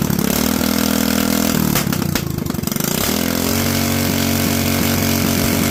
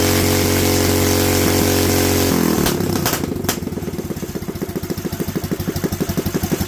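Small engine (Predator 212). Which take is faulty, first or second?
second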